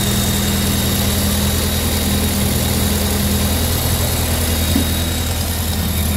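Steady, even low idle with a soft regular beat and no knocks or misses; this engine is running smoothly and healthy.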